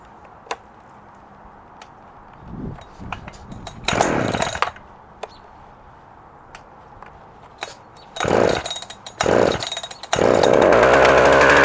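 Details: Husqvarna 359 chainsaw with 20-inch bar and chain and decompression valve: several pulls and brief pops, then fires and holds a steady clean high-pitched run without stumbling or surging; starts easy, runs strong.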